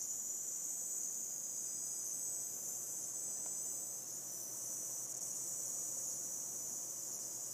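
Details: Seasonic M12ii 750W PSU under three weeks old: faint steady high-pitched hiss, appears randomly at PC power-on since about one week of use; power supply hiss, cause unknown.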